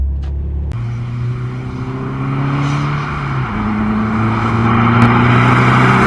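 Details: Subaru WRX, Tomei manifold, DW300 pump and DeatschWerks 40-micron inline filter, after power loss; back on stock coil packs with regapped plugs, new MAF and connector: pulls cleanly under boost, revs climbing with no stumble or cut-out; owner suspects the aftermarket coil packs needed a tune.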